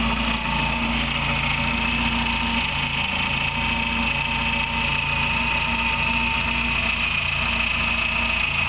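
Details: Engine at idle with a thin steady high chirp like a bird singing, two-year problem getting louder; persists after alternator bearing and timing belt tensioner replaced and with alternator belt off; owner suspects water pump, source unknown.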